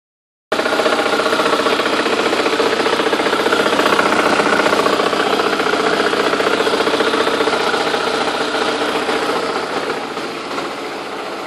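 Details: 2001 Audi A4 B5 AWM petrol engine idling with a steady light clicking about four times a second, appearing after a timing belt and accessories job.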